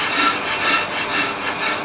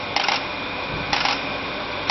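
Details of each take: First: Ford Fiesta with EBC Turbo Groove brake discs during the rough cut on an on-car Pro Cut lathe: a clear intermittent scraping cut that swells and fades about twice a second, showing the disc is distorted and running out and needs machining. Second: Pro Cut 9.0 on-car brake lathe in calibration mode aligning to the hub before cutting EBC Turbo Groove discs: sharp single clicks about once a second over a steady motor hum; clicking stops when calibration finishes, runout under 1/1000 inch.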